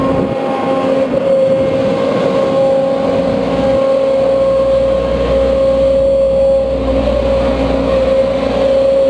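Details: A steady high whine rides over the diesel of a Case CX210B excavator that goes weak and growls after about 5 minutes of work; the noise is attributed to the main hydraulic pump, though the cause is unconfirmed.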